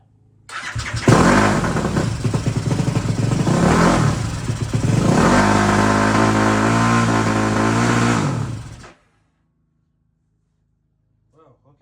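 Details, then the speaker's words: ZS190 engine in Grom clone with 212cc big bore kit and Daytona 4-valve head, first start: fires and surges at high revs for several seconds before shutdown; owner thinks throttle cable stuck. "that was something I think my throttle cable was stuck let's try that again"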